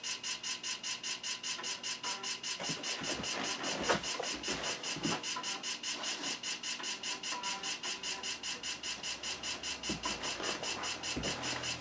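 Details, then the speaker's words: PC starting MS-DOS from floppy: fast sharp regular ticking about 2.5 per second with harsh scratchy edge as the drive reads noisily; boot succeeds, cause unknown. "all right let's save this and see if it boots oh the suspense oh that doesn't sound good at all starting Ms Doss"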